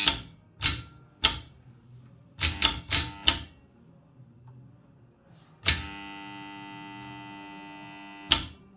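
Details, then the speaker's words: LK LT three-phase starter with NVC coil being bench-tested: sharp clacks, then one solid pull-in with steady even hum for about three seconds and clean drop-out; contactor healthy, runs normally. "ನೋಡಿ, ಕಾಂಟ್ಯಾಕ್ಟ್ರ್ ಚೆನ್ನಾಗಿದ್ದರೆ run ಆಗುತ್ತೆ."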